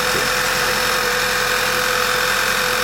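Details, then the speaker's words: 2011 Passat running poorly, idling: loud steady suck and hiss with a faint whir low down, changing as vacuum builds back; vacuum leak from a failed PCV valve. "So you can hear there's a great big suck noise coming out of somewhere. If you listen faintly, you can hear a little whir coming down the bottom there."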